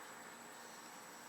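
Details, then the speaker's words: Atlas model locomotive converted to DCC, running at slow creep before CV tuning: faint, steady high-pitched singing over a soft hiss, slight jerkiness; motor whine tied to the decoder's motor drive frequency. "that's where that uh motor frequency drive frequency comes in I can hear it singing a little bit"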